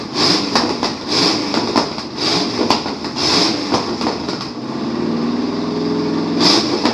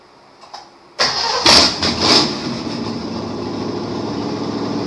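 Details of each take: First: 1953 Chevrolet Bel Air rat rod with a small-block Chevy V8 runs for the first time in 30-something years, on gas poured in, after new plug wires. It fires raggedly in irregular bursts, stumbling and catching, then settles briefly. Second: 1953 Chevrolet Bel Air rat rod small block Chevy V8, first run in 30-plus years with a little gas added: brief crank, catches, blips and settles to a steady even idle; engine runs fine.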